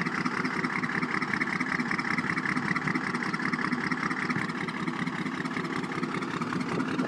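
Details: 1993 first-gen Cummins diesel at idle: uneven, lopsided beat with a dip each cycle from a dead cylinder 2. Cause is a blown head gasket with a nickel-size hole between cylinders 1 and 2.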